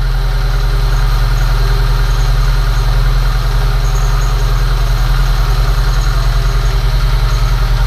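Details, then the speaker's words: VAZ 2109 first start after spark plug hole thread repair with insert; heavy steady idle with faint whir; owner suspects worn alternator bearing. "Правда, подшипником генератора кранты похожи. Но ничего, жить будет."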